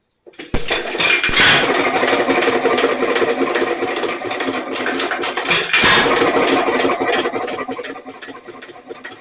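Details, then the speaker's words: Nelson Little Jumbo 1.5 HP hit-and-miss engine, battery ignition: a couple of sharp bangs with short clattering runs then fading; fires but won't keep running, not enough fuel through the check valve, which may be stuck. "yep so you can hear it's running trying to run but I'm not getting any fuel through the check valt"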